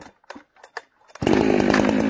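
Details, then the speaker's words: Warm ported chainsaw with a 20-inch bar, cutting wood at full throttle: burbling, uneven blubber instead of a clean scream because the high-speed jet is set very rich; four-stroking from an over-rich high-speed mixture. "i want you to hear blubber in the cut that means that it's four-stroking"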